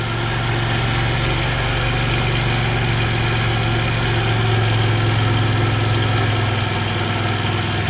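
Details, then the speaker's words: Clapped-out 50cc two-stroke scooter after repair, warmed up: steady, even idle with smooth low beat, no hunting or stalling, idles down fine; normal idle. "Sounds like it's going into its idle down. Idled down just fine."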